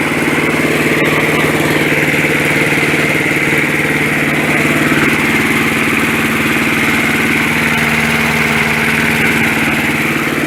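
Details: 1965 Briggs & Stratton 82906 3 hp wind-up-start engine, sat for years, first start after only fuel and oil added; on full choke, main jet possibly clogged. Even, steady beat with constant buzzy exhaust, no misses or surging; runs surprisingly nice, normal running.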